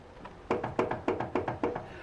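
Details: Lifted front wheel rocked side to side by hand gives crisp hollow knocks, about seven a second in pairs, from a worn, loose outer tie rod end; no vertical play, so control arm ball joint is not the cause.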